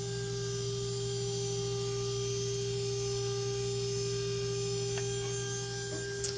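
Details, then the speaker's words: Water-cooled 1,500 W spindle on a 6040 CNC at maximum readout 400, measured just under 24,000 rpm: steady, clean high whine near 400 Hz with no grinding, rattle or wobble. Normal running. "so that's where that max is out and let's check this out that is so quiet as a nice sound to it and there we are somewhere in the 24 thousand little under 24,000"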